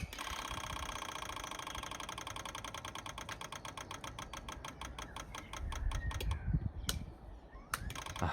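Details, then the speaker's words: FZR1000 motorcycle, about 25 years old, carbs cleaned and fuel system reinstalled before first start in six years: ignition on, electric fuel pump ticks fast and evenly about five seconds, then slows and stops as pressure builds; normal priming. "quick check for leaks it's all good so i flicked the ignition on to brand the pump"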